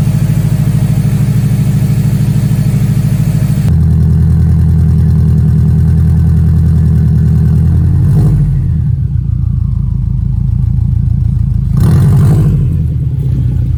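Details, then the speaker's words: Subaru STI with an EJ boxer engine, after a timing belt kit was fitted because of bearing noises, and after sitting about six weeks. Even, low idle that stays steady through brief blips, with no ticking, slapping or clocking noises. Runs smooth. "well ladies and gentlemen boys and girls i would like to report it is running smooth there's no weird noises"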